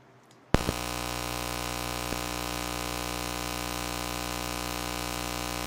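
Quiet background jumps after half a second to a steady low electrical buzz with a stack of tones, pointing to charger interference. Cause suspected, not confirmed.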